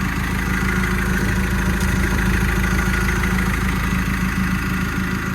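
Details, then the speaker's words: Develon DD130-7 dozer diesel during an engine oil change service, started just after bleeding the fuel: even, deep idle with a steady fast pulse and no knocks or misses; sounds healthy. "Ui, she's gone like a sewing machine, some would say. Ticking away. Everything sounds good."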